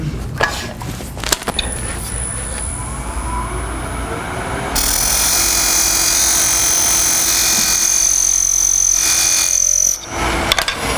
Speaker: Hear that squeak? Starting to get thin.